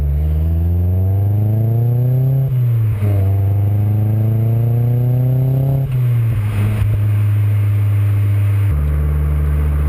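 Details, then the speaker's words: MPS with newly installed mufflers, on a drive: a deep, smooth exhaust rising cleanly through two rev pulls and settling back, with no rattles or leaks. Healthy exhaust note. "I'm also happy that it doesn't sound like it killed the exhaust note you know we've spent some money on this and want to be able to hear that"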